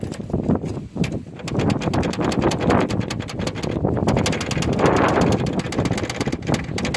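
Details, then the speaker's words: Lada Priora, while driving over bumps: wiring harness routed through the trunk lid vibrates and drums against it with quick, uneven tapping clicks over road rumble; loose harness rattling in trunk lid, owner plans to wrap it in soft insulation. "это происходит во время движение the mobile navi брат на кочках при вибрациях вот они вот здесь они барабанят чечетку отбивают неплохую"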